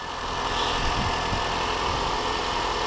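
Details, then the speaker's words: Mini One petrol engine after PCV valve replacement: steady idle with an even low rumble and no longer the whistle heard before; wet weather may make the alternator belt squeak. "already that sounded more like it before obviously when I snap this I don't if you can hear me this was whistling"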